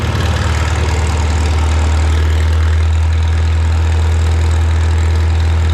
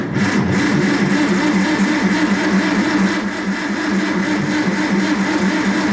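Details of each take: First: Farmall Super M tractor being prepared for the Mackinac Bridge crossing, just started with the choke and throttle levers, clutch depressed. A deep, steady low-pitched idle with an even chug and no knocks or misses. It runs healthy. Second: Farmall Super M cranked with the clutch in, out of gear and key on. It turns over with a steady, even rhythm that never catches. Cranks but won't start; the owner says the battery is dead too, and the cause is not confirmed.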